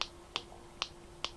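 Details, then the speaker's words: Opened electronic immobiliser key fob, unlock button not working: four crisp ticks about 0.4 s apart while unlock button held, switch seemingly making and breaking; lock button solid and silent. Cause suspected, not confirmed. "I'm not sure if you can hear that, but you can clearly hear the button going off and on. When I press the lock button it's solid and I can't hear it going off and on."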